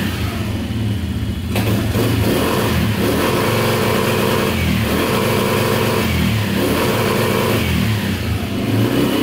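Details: 2010 Polaris Outlaw 90cc ATV after a carb clean, held at full throttle: speed surges and drops in repeated bursts off the rev limiter, revs out normally; still smoking, owner guesses thin oil seeping past stuck rings.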